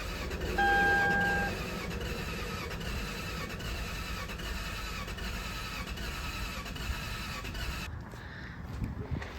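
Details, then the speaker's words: Lexus LS430 with engine and transmission rebuilt 5,000 miles ago, cranked with ECU connectors unplugged so it cannot start, while hunting a front main seal oil leak. Even, rhythmic starter whir stops after about eight seconds without firing; starter cranking is normal. "So, I unplugged the ECU stuff because we now know certainly that we do not want that engine to turn over or, you know, turn itself on. Let's just crank it a bit more."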